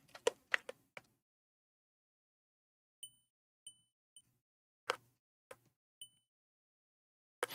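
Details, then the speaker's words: Multimeter in continuity mode testing a fuse from a Panasonic DVD recorder: about five short high chirps, each after a probe click; beeping shows the fuse is not blown. "but this thing beeps when it's in continuity mode and a fuse is supposed to give a connection but if it blows it doesn't have a connection right"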